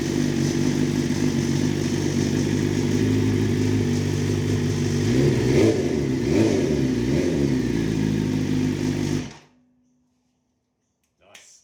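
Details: BMW S1000RR rebuild from a wreck, first run after repairs with the exhaust silencer removed: loud, raw four-cylinder bark with throttle blips rising and falling cleanly, then shut off; runs fine.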